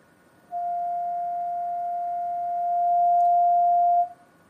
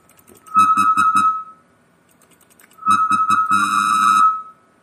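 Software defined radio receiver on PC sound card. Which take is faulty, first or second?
second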